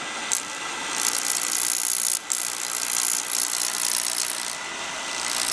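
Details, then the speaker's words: Beckett oil burner ignition transformer tested by lifting it so it arcs; judged good by sound. Sharp, crackling high-pitched buzz with brief dropouts as the arc draws and breaks: a strong, healthy spark. "When you pick it up off there, you can hear it sparking. I can tell just by that sound if it's any good."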